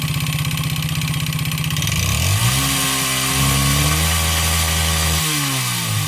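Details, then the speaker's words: 139QMB 50cc engine with piston skirt ground short for excess clearance: small blips then drops back, hollow knock about four per second under the exhaust note; piston slap, heard only at idle and when revs fall, masked with throttle. "Słyszeliście jak Piston Slap brzmi On brzmi tylko na wolnych obrotach jak dodacie lekko gazu i później już tłok tak szybko zasuwa że nie jesteście w stanie wychwycić tego brzmienia"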